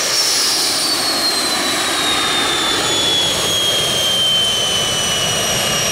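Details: Jet turbine truck, first start-up after winter, after cleaning a dirt-clogged fuel filter and adjusting the fuel pump: loud steady roar with high whistle sliding gently down in pitch; normal clean turbine running.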